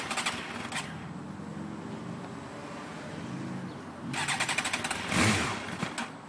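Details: 2008 Suzuki GSX-R750, hot after a 2.5-hour ride then sitting an hour: repeated cranking bursts with a sputtering catch that won't settle into a clean idle; it smoothed out after about four minutes. Hard hot start.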